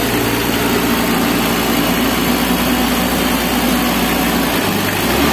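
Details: Mitsubishi L300 diesel, being fixed for stinging white smoke, after the repair: steady diesel clatter at idle with an even rhythm under background hiss; running smoothly and the white smoke is gone.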